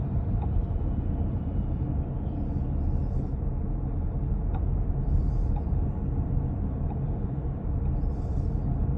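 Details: 2023 Chrysler Pacifica 2WD minivan: faint sharp clicks every second or two over low road rumble when gradually pressing or releasing the gas pedal; caused by a loose front axle nut that won't stay tight, previously retightened at dealer but noise returned.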